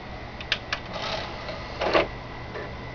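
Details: Xbox 360 disc drive reading a disc: sharp, irregular clicks and ticks, about one or two a second, over a steady drive whir and faint high tone; started yesterday, discs still read and play fine, cause unknown.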